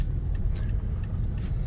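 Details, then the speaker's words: 2006 Lexus RX330 with 126,000 miles and original front struts, which are slightly audible, driving through a sharp turn: steady engine and tyre rumble with no clunks or creaks. It turns well with no abnormal noises. "Turns good, no abnormal noises."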